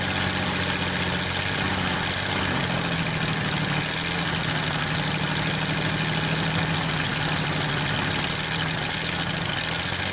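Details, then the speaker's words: Worthington truck/tractor, possibly 1947, with Chrysler industrial 218 flathead six, first start in decades with oil in the cylinders: settles into a fairly steady, even idle running on all six; bad water pump rattling. "But it picked up on that six cylinder, so it's running on all six now."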